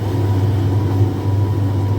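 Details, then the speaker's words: Indesit IDV75 tumble dryer after drum shaft bearing replacement: steady low hum of the drum turning either way with no squeak or scrape, where before it made a metal scraping, squeaking sound; repair successful. "so there is no noise no squeak and noise at all either way uh the drum rotates"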